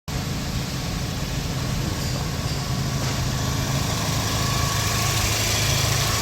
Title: Exhaust leaks Where ? 배기 누출 소음 , 어디서 ? #ExhaustLeaks, #배기소음, #배기누출,